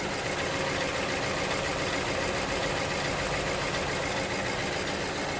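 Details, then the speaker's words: 2009 BMW 318i E90, 2.0 petrol (unconfirmed), before repair: engine idles very rough with uneven, lumpy roar and visible shaking, petrol smell at exhaust; clear misfire on cylinder 3, which later ran smooth after the fix. "as you can see the car is running really rough and uh you can definitely see the car shaking it's definitely misfiring no questions asked"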